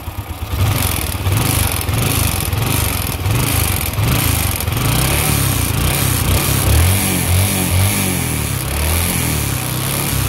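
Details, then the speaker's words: Motorbike engine quiet at idle but a rapid metallic clatter rises as throttle is opened; internal knock, mechanic suspects the piston knocking (gõ quả), engine to be disassembled. "để garanti thì êm anh em ạ Nhưng mà ga lên thì kêu lách cách anh em nghe nhé"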